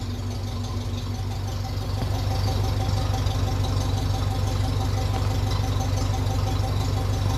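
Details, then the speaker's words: 1957 Ferguson 35 TVO tractor idling after the leaking exhaust sleeve joint was tapped down: an even idle of about three low thumps a second with no puffing or ticking. The exhaust sounds more silenced with the leak gone. "and it is it sounds a bit different through the exhaust now as well with that leak gone sounds a lot more silenced"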